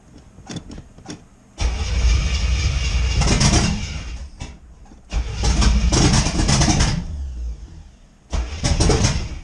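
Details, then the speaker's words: C4 Corvette first start after a carburetor swap on open headers: repeated cranking bursts broken by sharp pops, backfiring through the carburetor with a fireball; timing suspected too advanced, so timing is being pulled. "Okay, so good news. She's turning over. No fuel leaks. A little bit of a backfire through the carburetor, which can happen."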